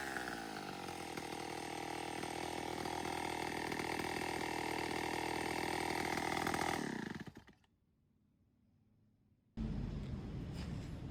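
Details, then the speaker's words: Vintage Homelite 7-19 chainsaw after carburetor cleaning, still needing a new diaphragm, a fuel tank clean-out and fuel line fix: crisp two-stroke buzz holding steady for several seconds, then dropping away. Normal idle; an earlier high idle was tied to the throttle linkage. "it's definitely a runner."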